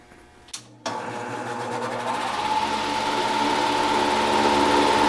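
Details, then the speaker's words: Old bad fan motor taken off a heat pump, bench-run: abnormal rough noise at startup, then a thin steady whine once running; the start noise is the biggest giveaway of worn motor bearings. "sounds you could hear an obvious uh abnormal noise when it started up and then when it got to running there's a little wh I don't know if you can pick it up or not with this little microphone but it's making a wine but the biggest giveaway is that is that start noise"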